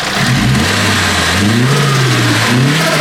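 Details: Nissan S14 SR20DET, warmed up and free revving with the blocked blow-off valve, the air intake opened, and no front-mount intercooler or pod filter: a fluttery chatter as the throttle snaps shut. This is turbo compressor surge flutter.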